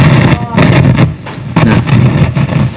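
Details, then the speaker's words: Active speaker powered on with no music playing: low, rough "grok-grok" growling rumble surging unevenly; speaker faulty, cause not yet found. "Oke jadi keluhannya seperti itu Suaranya berisik grok grok atau apa ya Ada suara yang mengganggu"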